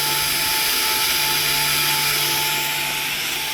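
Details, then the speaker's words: Toyota Camry ASV70R 2.5L 2AR-FE, ignition on, EPB switch held to release: steady, even electric whine with a thin high hiss from the rear caliper parking brake motors retracting normally. "You can hear the whining noise in the back caliper. You can hear the noise. It's whining back."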